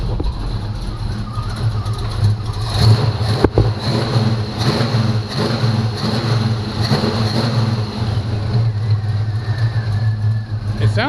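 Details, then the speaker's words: 1985 Chevy C10 short bed, bought not running, running again after new S10 4.3 V6 starter fitted, long tube headers: deep lumpy rumble with slight cam lope and throttle blips, steady, no knocking; sounds awesome, peppy. "cranking it actually sounds pretty good it sounds awesome guys it sounds"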